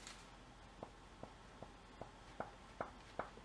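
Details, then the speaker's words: Removed passenger-side lower control arm from a 2006 Infiniti M45 RWD, pushed in and out by hand in a quiet room: sharp clicks about every 0.4 s from the worn, loose ball joint. "you hear that that's a bad ball joint that's gonna cause you problems once you install it"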